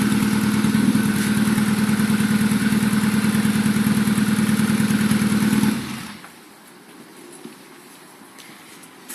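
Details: Rover 1.4 K-Series 16v engine in restored Mini Clubman Estate, first run after build, cooling hoses not yet fitted: smooth even idle for several seconds then switched off, no misses, ticks or knocks; normal idle.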